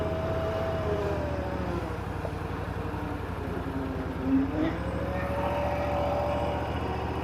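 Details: Bobcat Predator Pro zero-turn with Generac engine, earlier bogging in tall grass, in hot weather, at wide-open throttle with full forward drive load: busy steady note with a short bog midway, then revs pick straight back up; normal governor response.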